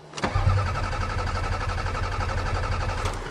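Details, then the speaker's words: Toyota Camry on a snowy cold start: the starter churns at a steady, even pace for about three seconds but the engine never fires. No fuel pump sound is heard, and the owner suspects fuel pump failure. "oh no uh-oh we have fuel pump failure oh my God I almost had a perfect record of Toyotas this sucks"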